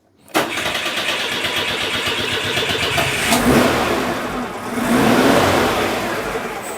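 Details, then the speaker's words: Citroen petrol engine after the exhaust was cleaned, sealed with exhaust paste and refitted: starts and settles into an even idle with a couple of light revs, no longer blowing; an odd rattle remains, possibly the alternator bearing. "That sounds a whole lot less blowy. Ideally needs a middle clamp, but I think that should do. Yeah, that sounds a lot smoother."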